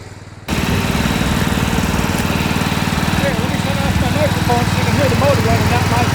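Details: Massey Ferguson 7 lawn mower, long-sitting, just started after carb mixture adjustment; owner thinks it needs piston rings: steady single-cylinder thumping about four beats a second, even and unbroken; normal running.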